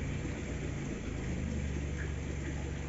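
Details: Subaru Forester that earlier cranked but wouldn't start, now running; an even, steady low rumble with no misses, knocks or stumbles, a smooth normal idle.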